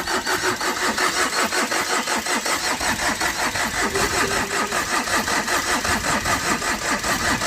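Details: Overheated Tata Vista with recently repaired head, radiator hose knocked off in an underside impact: steady cranking about two and a half turns a second with no catch despite petrol cloth; smoke escapes, engine failed.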